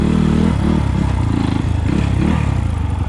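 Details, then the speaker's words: 2020 SSR SR300 Chinese single-cylinder dirt bike fitted with a Lectron carburetor replacing the stock carb: quick, even thumping beat with a touch of throttle. Runs clean with strong power; the idle is set slightly high. "all right guys you can hear it the difference is clear the idle's a little high but the power is on tap for this bike"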